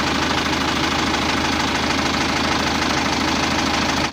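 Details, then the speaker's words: Isuzu Elf NLR 55 4JB1 diesel under a year after overhaul; hard, rapid, regular deep knocking at idle; teardown found the crankshaft loose at the front and broken into three pieces; low oil pressure suggested as a possible cause. "atau tekanan oli kurang pas sehingga bisa menyebabkan bunyi seperti ini bisa paling parah astru kretak atau hampir patah oli enggak naik jadi mentalnya ngegulung atau noken as"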